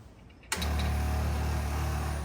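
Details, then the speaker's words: Caterham Seven with Lotus twin-cam carburettor engine, first start prep: click at ignition-on, then steady low electric hum as fuel pump primes normally, pressure reaching about 3 to 5 PSI. "we can hear the fuel pump we're not seeing any fuel pressure yet oh yes there we go we're up to three PSI which is about right for carburetor"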